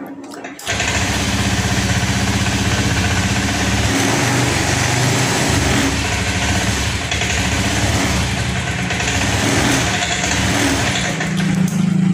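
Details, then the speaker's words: Honda Scoopy ESP FI automatic after tank cleaning, following throttle-position mode 1 setting; flat, slightly uneven idle, never picks up revs on throttle; injector cleaning next. "Teman-teman, di sini tetap motor tidak bisa digas. Selanjutnya ini akan kita coba bersihkan di bagian injektornya Pak, karena banyak sekali kendaraan yang mengalami hal seperti ini, tidak bisa digas ataupun berbet Pak."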